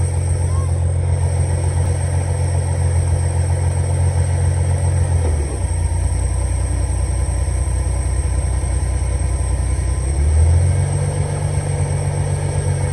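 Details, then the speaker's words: 300 inline-six idling after a carburetor rebuild; it had run rough and rich with fouled plugs. Smooth, even low rumble with no misses or knocks, settling slightly lower when put in gear. Normal idle. "but it runs and it runs pretty darn good if I do have to say so myself"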